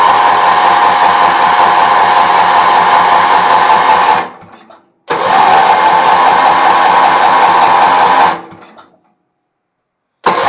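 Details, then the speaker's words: Bargain Wheel Horse 308-8 garden tractor, getting fuel, with starting fluid sprayed in and choke found closed: two bursts of steady chugging cranking, about 2-3 beats a second, and it never fires. Crank, no start. "see if we can explode this motor won't start blow up huh that shouldn't be choked yeah chok's closed huh wonder why she won't start"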